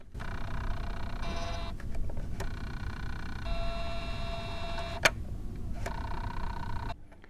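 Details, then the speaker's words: Elmo Visual Presenter document camera, zoom motor driven from the zoom control on the top head: a quiet, steady electric whine in runs of about a second with clicks between, showing normal zoom motor operation. "Well, let's see if we can uh zoom in on a board here. It's got the zoom control up on the top head of the And you can hear it if you listen closely."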